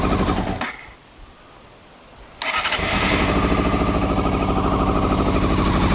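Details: Honda CBR400RR NC23 previously with no spark, exhaust can slid back on, petrol poured down the fuel pipe since the fuel pump couldn't be connected, starting spray used: cranking, a pause, then the engine catches and runs lumpy and uneven, as if short of fuel.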